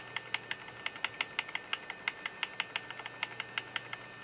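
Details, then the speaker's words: Small form-factor Intel DQ35JOE build with a spare test hard drive: sharp dry ticks, about three a second and uneven, over a faint steady hum; the drive is very noisy. "that noisy hard drive yeah it's very noisy that's just a test-drive"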